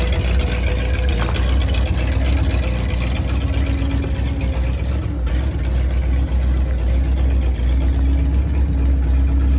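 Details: 1950 Ford flathead V8 flatbed dump truck, revived after sitting about 40 years, driving around the yard: deep, even low rumble holding steady with no knocks or misses. Drives pretty good; normal running.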